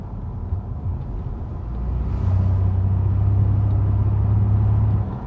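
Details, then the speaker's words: Ford Expedition driving, low droning rumble swells to a steady deep hum at one road speed then fades; speed-related vibration, cause still being investigated. "hoy esa vibración que provoca el vehículo por ese problema no viene este carro vamos a investigar qué es lo que está pasando"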